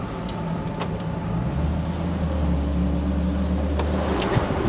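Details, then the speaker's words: 1999 Jeep Wrangler TJ road test after redoing Dana 35 bearings the correct way, following an earlier installer error: steady low drivetrain hum with no whine, howl or clunk, shifting nicely; normal differential. "Shifting through the gears nicely too. Oh man, I think we did it."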